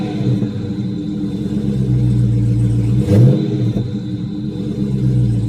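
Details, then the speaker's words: Dodge Charger 392 V8 at a salvage auction: deep even rumble that swells cleanly on a quick rev and settles back, no knocks; normal revving. "Listen to that motor, damn it."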